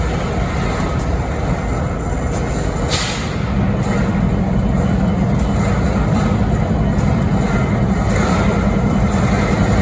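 Deep, steady diesel idle with a faint uneven beat of about three or four a second over the rumble; source unclear.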